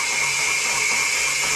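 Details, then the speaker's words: Kawasaki FX730V V-twin rebuild: valve spun on its seat by a cordless drill at low rpm, steady high-pitched gritty grinding as it laps a new seat, the normal valve lapping sound. "hear that noise that's the case grinding a new Edge on the valve a new a new seat on the valves that's what you want to hear"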